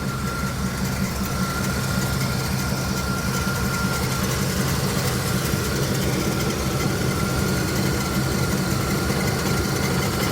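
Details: Truck running after a ground wire was added, with a gas smell checked and no fuel leak found: steady low-pitched idle with an even rumble and a faint high whine, no misses or knocks; normal idle.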